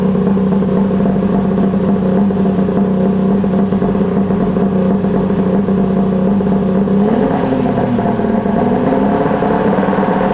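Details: Polaris Ultra 680 two-stroke triple snowmobile on an early heat run after a rebuild, exhaust heat shields off: crisp, even revving with a steady, rising drone and no misfire or rattle; healthy running.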